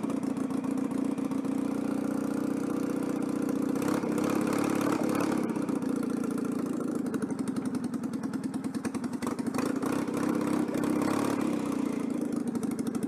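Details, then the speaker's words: Citroën 2CV on a quick test run after fitting a centrifugal clutch: an uneven, lumpy idle with loose clatter and a stumbling beat that never settles, caused by an intake air leak. "bon bah écoutez là je vienne massifier bon une fuite d'admission c'est pour ça que le moteur tourne très mal"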